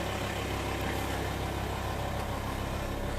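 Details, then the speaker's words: VW T5 Transporter diesel idling cold after the N75 boost solenoid valve was connected, previously running jumpy and mooing at shutdown: even diesel clatter with no surging or odd hum; normal idle. "It's just idling right now."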